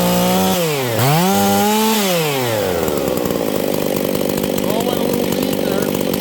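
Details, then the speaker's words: Husqvarna 268 chainsaw, fueling issue, high-speed jet turned out yet not rich: screams to a high, clean, steady pitch with no four-stroke burble at full throttle; lean high-speed running. "okay friends we have a hijet issue did you guys hear that this thing is going super lean"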